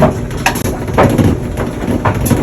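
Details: Maytag Bravo dryer: low rumbling tumble with a thump about every second as the drum turns, rumbling and vibrating from foreign objects caught by the drum.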